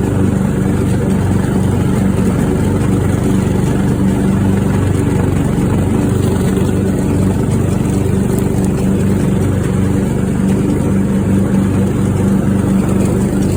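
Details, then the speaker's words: Craftsman riding mower after new fuel shutoff solenoid, fuel filter, spark plug and fuel treatment for suspected water in fuel: steady, even engine drone with no misses, surges or knocks; now runs smoothly. "oh listen to that engine per that sounds really nice thanks for watching"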